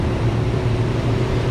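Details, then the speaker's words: 5.7-liter 350 Rocket V8, about 380 hp, with headers and a probable Turbo 400 automatic, idling with the air conditioning on: a deep, smooth, constant-pitch rumble with no ticking or stumble, a normal idle. "So sounds really smooth. Even got the air. Sounds like it's working."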